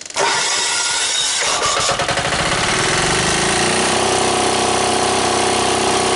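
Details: Old air-cooled Yanmar diesel, cold start after bleeding air from the fuel lines, using the compression release and key start with the mechanical fuel pump clicking: brief cranking, then it catches into a steady clattering idle.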